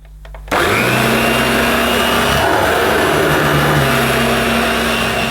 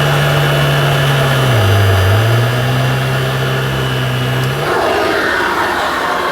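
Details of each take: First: New Dirt Devil Broomy Broom Vac 750 upright (325 W, 50 Hz) with a new belt and bag, bag inflating well, on carpet. After switch-on the motor settles into a steady, even whir with constant pitch and no rattle or strain, normal running. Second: New Dirt Devil Broomy Broom Vac 750 upright (325 W, 50 Hz) with a new belt and bag, first switch-on on thick pile carpet. The motor hum sags in pitch around two seconds as the brushroll stalls, then it is switched off.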